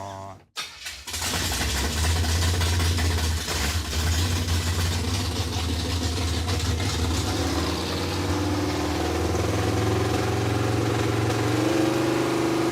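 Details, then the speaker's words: Junkyard Chevy Tri-Five V8 with cam and dual-plane intake: starter catches and it settles into a deep, lumpy but steady idle with no knocks. Normal start and idle. "It is fixed, dude. It's freaking thick. It sounds pretty good, too."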